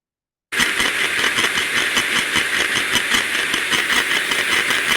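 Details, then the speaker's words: Ultrasound recording from sensor on housing of recently refurbished planetary gearbox: coarse gritty crunching with uneven modulating pulse, about two to three surges per second; oil inspection found wrong, degraded oil type. "this so from that sound there you can hear a modulating sound but you can also hear it sounding quite coarse a crunching sort of sound now this is something that was not what we would expect to here"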